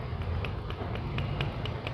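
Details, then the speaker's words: Yamaha FZ motorcycle, worn clutch basket with play: light sharp ticks about every quarter second over a low idle rumble. It clicks at slow running but not at speed. The full clutch set is being replaced. "ये आवाज़ आता। Slow में फिर से सुनो आप, slow में cut cut मारते, फास्ट में नहीं आता, इन लेकर घूमता ना उसलिए नहीं आता।"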